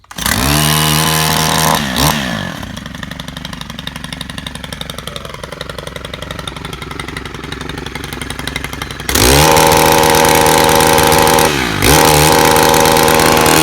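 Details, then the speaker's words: 2018 Stihl Kombi KM 131 R four-stroke power head, start on primer bulb and choke: catches, revs high, drops to a steady even idle, revs cleanly again; sounds different from old two-strokes but runs normally. "A little bit different sound than the old 2 strokes, but still does a great job."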